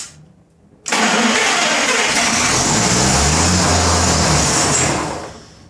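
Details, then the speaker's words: 1933 Chevrolet with a rebuilt engine (5.6:1 compression), first start attempt in decades: steady cranking with no firing, battery going flat. The carburettor bowl isn't drawing fuel from the line. Crank-no-start from fuel starvation. "What's the bowl doing? It's pretty much where you left it. No, it's not sucking it up. There's nothing."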